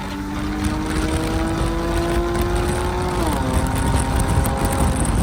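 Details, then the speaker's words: Infiniti G37 sedan with VQ engine, after fixing an exhaust leak by installing test pipes, accelerating with windows down: a loud, raspy exhaust rising with revs through a shift. There is no leak puffing; it sounds sound and pulls with torque. "As far as pulls, this sounds way it's got a lot of torque."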